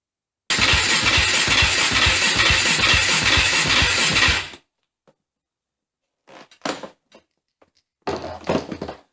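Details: KTM 450 dirt bike unused for over 10 years, on charger-assisted battery, first start attempt: about four seconds of fast, even cranking that never catches; turns over but no spark.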